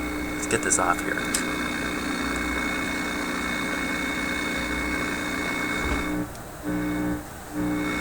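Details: Philips 922 vacuum tube radio with intermittent noise traced by scope to the first IF stage. A strong, steady low mains hum appears under the set's noise and briefly drops out twice; cause still unknown.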